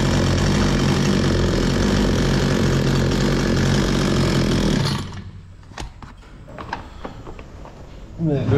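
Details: Bolat 5820 chainsaw after air filter cleaning and a stop-switch repair: engine holds a steady, even rasp for about five seconds, then cuts cleanly to quiet; it runs smoothly and stops normally.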